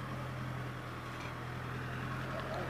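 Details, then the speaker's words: Motorhome diesel engine with a steady, even drone at a noticeably raised idle. It has randomly idled much higher than normal for several days, as if compensating, cause unknown; high idle. "yo simplemente notaba que el ralentí estaba muy alto ya lo había percibido días atrás y no sabía qué pasaba simplemente veía que de forma aleatoria en vez del motor estar con unas revoluciones mucho más bajas estaba él solo mucho más alto como estuviera intentando compensar"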